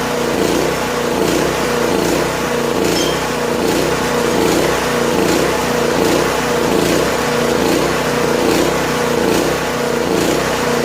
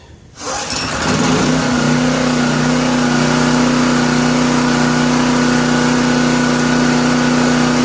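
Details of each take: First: Late-1980s Honda EG2500 generator, stored 4–5 years, on half choke with little fuel in the tank: small engine chugs along at a steady, slightly uneven beat near 75 a minute, then stalls. Owner suspects it's simply out of gas. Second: Classic Honda 2500 W generator, sat over 4 years, started after oil change with fuel and switch on, no choke: fires within half a second and settles into a steady, even hum with no misses or knocks; running smoothly.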